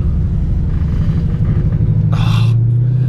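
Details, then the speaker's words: Car while driving: low, heavy rumble throughout with a droning hum building near the end; annoying noise of unknown cause, to be checked at the dealership. "there's a problem alright thought that noise is so annoying hear that"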